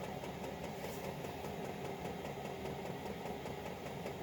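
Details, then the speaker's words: Chinese 5 kW diesel heater with LCD controller, warmed up with the glow plug off and the fuel pump at its lowest setting. A steady, even fan rush with faint, slow pump ticks; running normally. "you can hear the fuel pump just going let's see 1001 1001 1001 you know there might be three or four revolutions per second which is a hertz so it might at its lowest setting running at 1.2"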